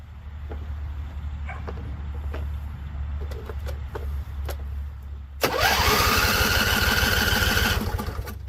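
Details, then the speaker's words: Husqvarna Z254 mower in neutral, first start after a PTO clutch and pulley install and weeks unused. Slow, irregular cranking with sharp pops, then it catches and roars up with a rising whine; owner thinks it was flooded. "So, it seems like it's flooded cuz I heard a couple pops. Couple pops. So, I think it's going to start."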